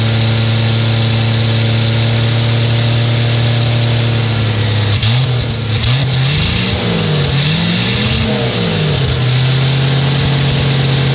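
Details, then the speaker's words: 1967 Chevy II Nova, sat 30 years as field find, first start bottle-fed gas into carb with leaking radiator. Steady low hum, then pitch swings up and down unevenly before settling to a faster steady run. Engine runs. "well there we go we have a uh a running vehicle"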